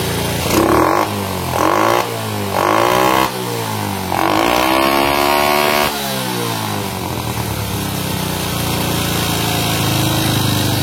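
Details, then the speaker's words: Honda Supra motorcycle after carburetor work to cure hanging revs and poor full throttle: crisp throttle blips rise cleanly and drop quickly to steady idle; revs freely, only air screw adjustment left. "tinggal nyetel angin mas. Ini mantap sekali ya."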